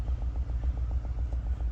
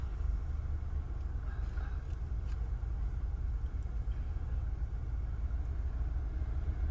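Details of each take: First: 2020 Nissan Altima idling in gear with engine misfire, code P10C3 fuel injector: low idle rumble with uneven pulsing beat, about seven pulses a second, apparently one cylinder misfiring. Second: 2020 Nissan Altima after repair (injector and part reinstalled) with earlier misfire, shaking and DTC P10C3: smooth, even petrol idle, a low steady rumble with no stumble or shake.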